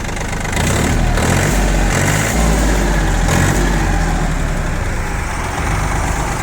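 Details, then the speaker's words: Yanmar F195 three-cylinder 4WD tractor diesel, 531 hours, just starting to warm up; steady, even thump rising with a little extra rpm and staying clean, no knocks, misses or odd exhaust; runs well. "работает ровно трактор по температуре видно что только-только начал схватываться прогреваться работает отлично выхлопа ничего здесь нет постороннего естественно дать ему немного оборотов и услышать что работа не изменится"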